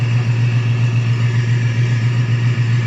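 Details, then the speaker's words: Procharged black coupe, recently changed injectors and retuned, idle tune still in progress: deep, steady idle with a mild lope of about three or four pulses a second; runs smooth, cam chop to be increased by tuner. "Runs great, it freaking idles great. Like, we're gonna work more on the idle. It's not camming quite as hard."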